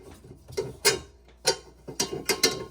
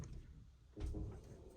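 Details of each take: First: LG front-load washer with direct-drive motor, drum turning slowly: irregular metallic clicks and grinding scrapes at the back of the drum. Carbon dust, believed to come from worn, breaking brushes, has clogged the rotor. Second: LG front-load washer after cleaning carbon-like debris from the direct-drive rotor and refitting the rotor bolt: test spin gives a low, soft drum rumble, brief thump on reversing, no metallic grinding.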